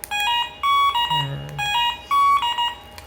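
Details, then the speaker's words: MP one-way motorcycle alarm module during remote sync: bright rising electronic chirps repeat about every half second when the remote button is pressed, confirming the remote is paired. The module holds at most two remotes. "kalau sudah bisa seperti itu ya sudah ada bunyinya ketika kita pencet"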